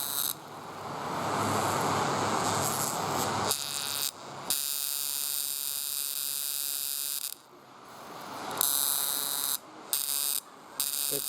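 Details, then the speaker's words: 1998 Chevy pickup with a bad misfire on cylinder two despite new plugs and wires, distributor cap back-fed: sharp rapid snapping buzz about four a second; spark crossfiring through a burnt track in the cap. "so any place where the spark has a hard time trying to jump someplace it can actually burn through the cap and jump from one cylinder to the next where they're real close it will actually eventually burn through the cap"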